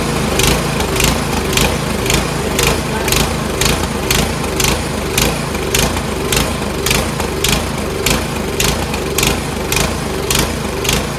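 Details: Troy-Bilt Storm 2410 two-stage snowblower, old carburetor cleaned several times including pilot jet: rhythmic rise and fall about twice a second, still surging; stops surging only with choke about halfway.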